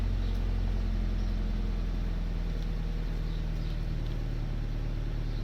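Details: Toyota GT86 cold start: steady low idle with a faint, uneven metallic rattle on top; source not identified.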